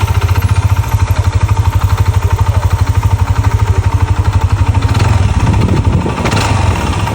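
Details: Yamaha NMAX with Juken ECU after major overhaul replacing scored block and piston with stuck rings and oil-passage problem: even steady idle thump, brief clean rev, no knocking or rattle; previously noisy like a grass cutter and vibrating.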